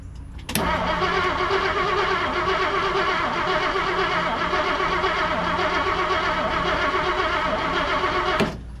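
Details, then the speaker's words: 1959 Plymouth Savoy with aftermarket carburetor, after adding a little ignition timing, with fuel squirting and spark present: steady cranking about four beats a second, no firing. Owner suspects the carburetor; crank no start. "It doesn't even seem like it's trying to fire."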